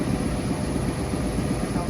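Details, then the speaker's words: Carrier commercial rooftop unit not heating, now heating after repair; motor gives a rough, heavy droning rumble with a thin steady whistle, bad bearing to be written up for replacement. "like a bearing's bad in there so we're gonna write up for the bearing to be replaced but at least it's heating now yeah that's got to be replaced that sounds terrible"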